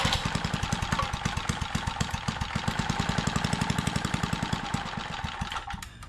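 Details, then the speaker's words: Trash-found four-stroke lawn edger, previous owner said it burns oil, crankcase heavily overfilled: after choke fix it runs with fast uneven single-cylinder chugging, then loses pace and fades; too much oil, owner drains it to test. "There is a lot of oil in it. So, I'm going to drain the oil and see if it'll start with less oil in it. Because if there's too much oil in it, it's just not going to run."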